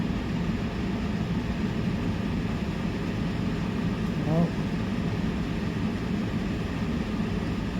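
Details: Portable air conditioner on high cool, set to 62°, powered by an AllPowers R1500 power station: a steady, even low hum and airy rush with no rattles or cycling changes, so it is running normally.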